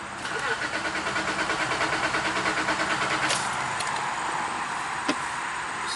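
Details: Acura 3.2 crank no-start during immobilizer/replacement-PCM testing: starter churns in an even rapid beat, about five per second, without catching. Injectors are seen firing on the initial prime, so the inputs are being checked.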